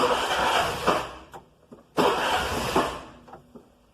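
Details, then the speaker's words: Mototaxi starter touched during a battery check: two short starter bursts of about a second each, crisp and even, with no clicking or slowing; the starter and battery charge are healthy. "they sound normal, The starting system is fine, so if we have a horn it sounds good, the starter sounds good, it means that my battery status, or the charge it has is fine,"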